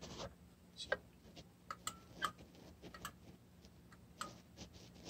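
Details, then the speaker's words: 30+ year old steam boiler, McDonnell & Miller #67 low water cut-off with previously stuck float: quiet hum and crisp separate clicks as float is pushed down; first click should shut off burner, second should turn on feeder; switches actuate normally. "there's two switches normally on normally off depending on the position of the float and that the first click should shut off the burner and the second click should turn on the feeder"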